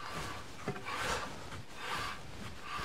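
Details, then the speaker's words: Mercedes W211 rear parking brake (drum type) after renewing shoes and adjusting via knurled adjuster screw, wheel turned by hand: light scraping swells and fades about once a second at certain positions; slight shoe contact, acceptable, beds in on first drive. "das dreht frei hört manchmal noch so leicht Anliegen Schleifen in bestimmten Position aber das ist in Ordnung der SCH schleift sich zurecht mit der ersten Fahrt"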